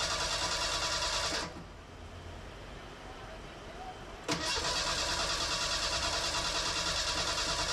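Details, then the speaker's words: Fuel-injected Merkur XR4Ti after an engine swap, cranked after chunks came out of the fuel line. It cranks at about three turns a second, pauses, then cranks again with oil pressure showing, but never fires. Bad gas and ignition timing are suspected. "after hours and hours of work I managed to not start the engine it did crank it coughed a little bit but but couldn't get it to start"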